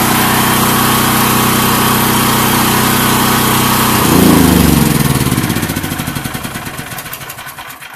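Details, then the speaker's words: Predator 8750 / Duromax XP12000EH dual-fuel generator (Tonco carb, 1 lb low-pressure regulator) on propane after choke start: steady even drone for about four seconds, then shut down and coasts down smoothly; normal running. "once it starts you just turn the choke off like you're doing anything else let's fire it up look no problem whatsoever shut it down"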